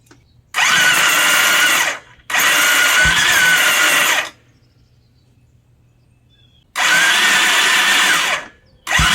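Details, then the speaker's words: Bombardier DS650 sport quad after new starter motor fitted: short bursts of high free-spinning starter whine with no compression chuffs; starter spins but doesn't turn the engine, suspected one-way starter clutch behind flywheel, later replaced. "It just sounds like the starter is just spinning. Yeah, it's not spinning the engine over."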